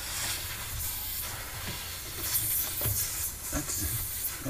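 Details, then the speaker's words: Viking Professional wine cooler, during evaporator coil replacement: sharp gassy hiss rising in spurts over faint handling noise as freon escapes from a corroded, leaking evaporator line; refrigerant leak. "so you can hear the freon coming out and it's right"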